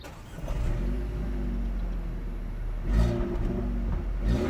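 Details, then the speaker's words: 2019 Renault Grand Scenic TCe 160, 1.3 turbo petrol, 160 hp, EDC automatic: engine catches quickly and settles into a smooth, quiet, even idle with a couple of light revs; healthy. "silnik jest yyy wręcz bezszelestnie przy spokojnej jeździe nawet mocniejsze zaciśnięcie gazu nie spowoduje znaczącego zmniejszenie hałasu w kabinie"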